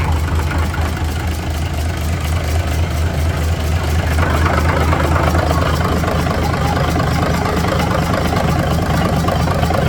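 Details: 1980s M818 military truck with Cummins NHC250 diesel, first test run after adjustments for an earlier popping noise, oil pressure reaching 60 psi: deep, steady idle with an even beat and no popping or misses; normal idle.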